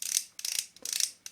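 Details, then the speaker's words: Nikon non-AI Nikkor-N·C Auto 24mm f/2.8 lens, reassembled during a fix for a stiff focus ring: the ring gives crisp, even little clicks in quick bursts with no grinding or scraping. Detents sound healthy and not too noisy. "and then it's it's actually great well and the click is very it's very good I mean not too noisy"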